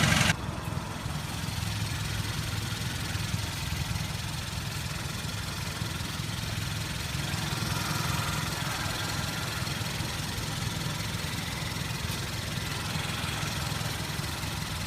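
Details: Hyundai Veloster idling after dealer replaced the transmission and a cracked flywheel, which had caused loud shattering noise and cabin vibration: steady even idle, low smooth hum, no knocks, rattles or shudder; normal idle, quieter than before.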